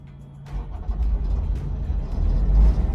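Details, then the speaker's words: Eurocold diesel-powered truck refrigeration unit in diesel mode, running its own engine with the truck off: deep diesel rumble builds to a steady, rough-edged, noisy chug; normal start-up. "And there it goes, so nice and noisy, but you got a radio there if you need to deafen out that noise, so that's how you use the fridge."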